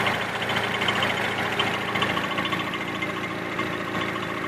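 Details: Nissan S14 SR20DET at idle: light, quick metallic rattle about two per second from a worn timing chain tensioner; replacing the tensioner solved the problem.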